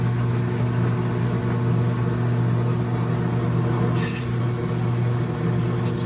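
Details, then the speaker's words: GE top-load washer GTW460ASJ7WW in spin: steady low motor hum, drum only shakes slightly without turning, motor heard trying; drive belt off, so motor runs but doesn't drive the drum. "the drum trying, you know, see a little movement, but it's not turning. So now you see it, see it shaking?"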